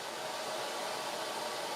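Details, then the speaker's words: Maytag Epic Z front-load washer after drain pump replacement (wouldn't drain or spin), 44 minutes left in cycle: even steady hiss of fresh water filling, no knocks or hum; filling normally. "all right there's 44 minutes to go piping up running more fresh water in"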